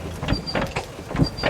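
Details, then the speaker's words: 1994 Nissan Atlas 4WD truck, FD42 diesel, cab rocked by hand. Hollow clunks every quarter to half second; worn cab mount bushings have play, causing a knock on the front left over bumps and chafing on the cab hoses. "Вот, соответственно, такой люфт даёт у нас с вами и стук, и вот эту потёртость."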